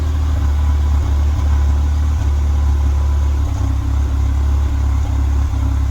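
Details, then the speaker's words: Nissan Almera 1.2 three-cylinder, warm idle: deep, uneven exhaust beat with irregular stumbles and dropouts from misfire, engine near stalling; ignition coils to be checked first. "แอร์เครื่องสะดุดฟังข้างเยอะเลยทีเดียว"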